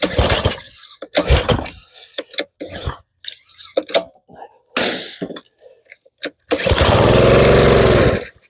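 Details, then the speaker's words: Simpson 3000 PSI pressure washer with Honda GCV190 that won't start after storage: after priming with fuel it fires, runs about two seconds, then dies and won't run on its own; suspected stale fuel and clogged carburetor jet. "Okay. Runs and dies. So, let me give it a couple more pulls just to double check. Yep, it's not running on its own."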